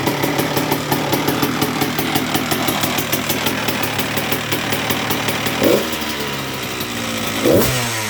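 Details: 2002 Honda CR125R two-stroke with Wiseco crank, after new OEM cylinder/top end: rapid idle popping, two blips, low rough growl under exhaust persists; main bearings suspected, crankshaft and mains to be replaced next, not confirmed.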